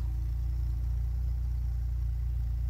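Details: VW Golf 3 exhaust at idle after fitting a rear silencer: smooth, even low idle note with no tinny rattle or buzz; the earlier sheet-metal rattle is gone, though the fitter is only moderately satisfied with the fit.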